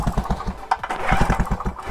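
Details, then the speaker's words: Two-stroke generator left unused 10 years in storage, spark test while cranking with the old unbranded F6TC spark plug: quick even pulses about eight a second with a faint sharp snap; ignition spark present. "apinya dibusi ini teman-teman terlihat dari terdengar dari suaranya itu yang ada percikannya ini sangat sangat sulit dilihat kalau kondisi terang teman-teman"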